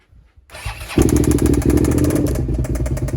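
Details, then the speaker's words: 1999 Suzuki SV650 V-twin, 28,000 miles, stolen-recovered and found with no oil: catches after cranking into a rough uneven idle with a hard irregular knock. Intermittent; the owner suspects the bottom-end bearing or big end, possibly the top end. "it's intermittent so what is it like it's on and off is it the big end now it sounded more like top end to me"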